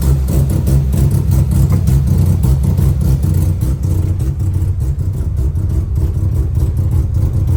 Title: 12a Bridgeport misfiring, electrical issue or something else?